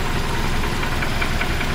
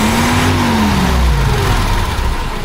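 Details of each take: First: 1976 BMW 2002 E10, back on a new battery after sitting about a month, warm idle running without the air pump: a sharp light tick about five per second over a steady low rumble. The top-end knock goes away when revved; cause unknown, owner accepts it. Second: 1976 BMW 2002 running without the smog air pump: revs rise and fall cleanly twice with steady running between blips, sounding smooth; the owner notes a top-end knock that goes away with revs.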